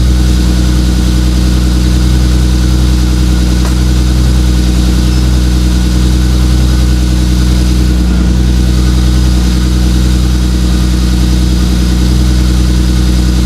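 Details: 2JZ-GTE twin-turbo swapped MKIII Supra, reassembled after turbo bearing/bushing failure with turbo blankets added: steady, even idle, smooth low drone, no knocks, rattles or whistles; sounds healthy.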